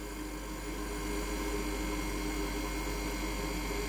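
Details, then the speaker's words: Ice maker compressor relaxing after the harvest cycle, about to scoop ice into the bucket: a low, even hum with a faint steady tone above it, running smoothly as it should. "You can hear the compressor is relaxing now. Now it's going to scoop out the ice inside the bucket."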